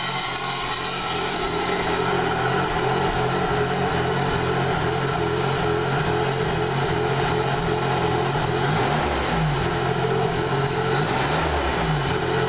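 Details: 2001 Pontiac Grand Prix GTP idling with an uneven, lumpy beat and a wandering hum. A rough idle after freeway stalling; the IAC valve was found faulty, and jerking and hard shifting were also reported. Cause undetermined.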